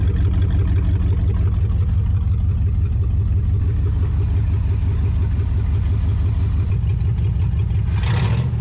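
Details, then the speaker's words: Abandoned 1959 International B100 six after clearing debris from the cooling system: it settles into a steady, even idle with smooth regular firing and no knocks or misses, returning to idle cleanly. "that thing sounds pretty pretty healthy guys I'm really impressed with how good that [Music] sounds just drop right back down to a perfect idle"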